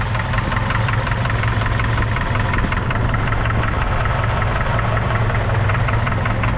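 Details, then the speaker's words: 1981 Opala Comodoro 4-cylinder replacement engine, noisy after a period of running, sounding like a diesel: rough idle with a steady knocking tap. "Vocês ouviram aí um toque toque é o barulho que tá apresentando nesse motor"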